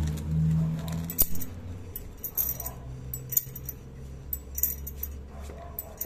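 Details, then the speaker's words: Drum brake, rear wheel suspected, metallic noise while driving traced to a brake spring catching at the bottom: irregular light metallic jingling and clinks over a faint low rumble. Loose brake spring rattle; tested again after moving the spring down. "como é que pode uma molinha tão simples fazer uma bagunça tão grande uma dificuldade medonha para encontrar esse a origem desse barulho"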